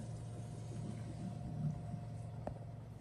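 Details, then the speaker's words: 1983 GMC sport coach after replacing water supply lines: quiet, steady low electric hum from a small pump running continuously with a faint whine, water moving through pipes, likely filling the water heater; normal, slowing as pressure builds. "pumps running I hear water moving but it sounds like it's just through the pipes it may be filling the hot water heater"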